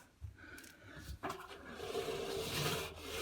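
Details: Indesit Innex XWA71451 washing machine, 7 kg, 1400 spin, about 7 years old: turning the drum by hand gives an uneven, gritty rasping grind with scraping. The drum bearing is completely worn, with about 10 mm of up-and-down play.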